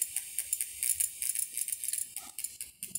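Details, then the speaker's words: Pioneer DEH-1650 car stereo switched to Bluetooth mode, volume high, no phone paired: faint irregular crackly chirping and hiss from speakers from the Bluetooth board; noise disappears once a phone is paired. "Se aumentar o volume. É possível ouvir nos alto-falantes que são ligados na saída de som do aparelho um ruído da placa Bluetooth."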